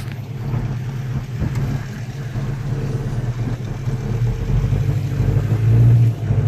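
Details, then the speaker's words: Volvo Amazon 122S with a Weber DGEV 32/36 carburetor and a newly replaced, adjusted choke, warmed up. An even low burble with a slight rise toward the end and no stumbling; it stays running at a normal idle. "anyways we're all set here that stays running that's what I like"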